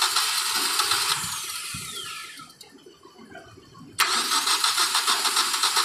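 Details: 2012 Hyundai Accent with a no-start problem: starter cranks briefly, the engine catches and settles into an even, steady idle; a healthy start.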